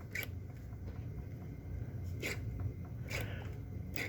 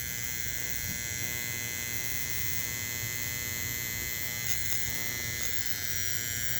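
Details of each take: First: Bench-tested model-train motor-on detector relay after adding a capacitor to stop its rattle and buzz: four crisp clicks switching forward, neutral, reverse over low room hum, with no buzz or chatter. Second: Bench testing the Motor On Detector, Learning that a 457uF capacitor quiets down a rattling relay!!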